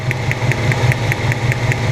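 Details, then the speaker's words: 1997 Honda Civic EX D16Y8 idling with a working cylinder's plug wire pulled: sharp ticks about five a second over the idle as spark snaps across; the misfiring cylinder 2 boot instead leaks spark through cracks. "hopefully you hear that clicking sound you can actually hear it making spark"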